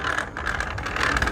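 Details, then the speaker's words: Homemade bicycle with a 3D-printed gear drive instead of a chain, while pedaling: a rough, scratchy whirr over the rolling noise that grows louder the harder it is pedaled, with no noise when just pushed. Gears scrape in mesh under load. "Nó làm gì càng mạnh thì nó càng tạo ra nhiều tiếng ồn hơn"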